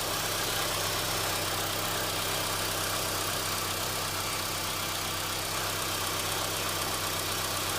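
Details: Engine running with a faint, uneven tapping under heavy hiss; it began right after an oil change, and the owner is unsure whether it is rod knock or valve lifters and suspects rod knock; engine knocking, unconfirmed.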